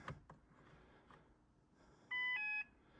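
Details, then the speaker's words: Trekure TK50 jump starter still connected to running car, no boost pressed: short burst of high beeps about half a second as power is drawn, pack objecting to the load; beeping under load. "Hm, no. It did not like that. As soon as I As soon as I draw the power, it didn't like it, did it?"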